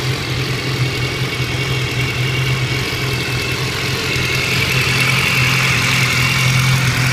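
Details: 2014 BMW S1000R with 1600 km, running-in service done at 1000 km: engine idles with a steady low hum and a light, fairly regular ticking on top.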